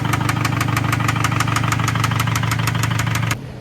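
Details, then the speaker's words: FRS towed home for a 2JZ build: sharp regular knocks, about three a second, over a steady idle until the engine cuts off. Engine knocking at idle, judged done for. "You guys hear that thing? Oh, that thing is done for. But she still moves, so that's a good sign. At least we can get it back in the shop. So let's get it moved over. So we're going ahead and got it in the shop. But looking around, this thing's knocking."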